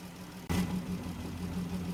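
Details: 2017 Dodge Journey with code P0202: a low idle with an uneven, stumbling beat from a dead cylinder 2; the injector gets no control signal.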